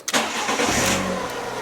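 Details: Fiat 500 1.2 8-valve after fitting a second-hand coil pack and plug leads and reconnecting the battery: brief crank, catches immediately, smooth even idle with no stumbling and no ECU errors; normal start and idle.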